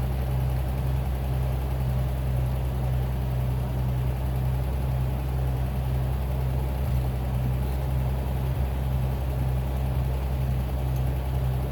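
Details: Bitter SC 356, just revived after a no-start: low steady idle with a faint uneven knock under the drone; owner concerned, worst case opening the engine; cause not yet found.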